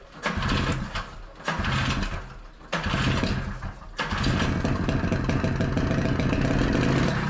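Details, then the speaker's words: 1982 Honda Odyssey FL250 two-stroke, freshly rebuilt engine with aftermarket Nibbi carburetor and stock exhaust, first start: catches, revs briefly and sags away repeatedly, then runs unevenly, never settling into a steady idle; won't idle, cause not identified. "Can't seem to get it to idle. That's frustrating."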